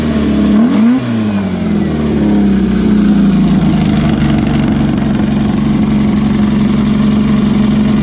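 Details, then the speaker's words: VW beach buggy, Prowler body, after clearing blocked idle jet in driver's side carburettor and rebalancing the carbs: revs then settles to steady even tickover slightly fast, popping and misfire cured, running cleanly. "right seemed to have cured all the popping and far in kicking over a little bit on the fast side but it's running so hopefully yeah"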